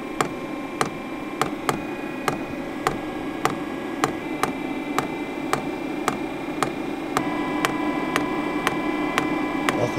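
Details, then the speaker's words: 5KW Chinese diesel air parking heater in 8'x14' shed, about 25F outside, 12V lead-acid battery, initial startup about six to seven minutes in: dosing pump ticking every half second over low hum while self-priming, diesel starting to come through; normal fuel pump priming. "I am starting to see a little bit of diesel coming out of the pump"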